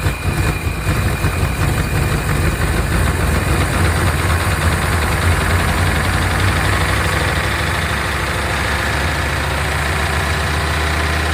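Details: 1992 Chevrolet Caprice wagon V8 parts car, bought as seized after sitting in a field, restarted after freeing a frozen alternator; oil nearly new, maybe a quart low. Rough idle with busy, fast ticking; owner suspects noisy lifters after storage.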